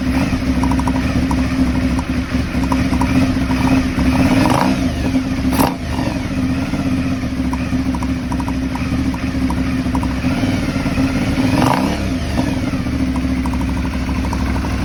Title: Aprilia Shiver 750 Throttle Body Problem? Rough Idle